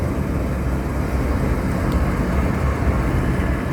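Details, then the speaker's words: Old York rooftop unit, forced-air furnace with cooling, R22, no-heat complaint: loud steady low rumble and droning fan, no knocking or squeal after restart; normal running. "so it started up again no issues i'm gonna do this a couple more times"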